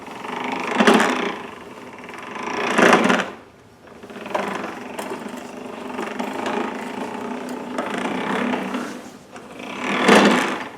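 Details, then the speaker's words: Toro Recycler model 20332 Personal Pace self-propel mower, front wheels free-spinning, pushed forward with engine off: surges of grinding, ratcheting noise, seemingly from the left wheel; transmission gearbox suspected. "Yeah, I don't know what that is. Can't be good. Sounds like it's coming from this wheel on the left side, if my ears are correct."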